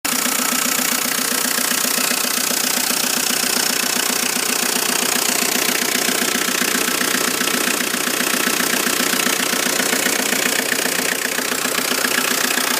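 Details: Volvo S40 with 1.9 F8Q diesel (labelled TDI) at idle: sharp, regular knock about 2.5 times a second over the engine hum. Engine knock.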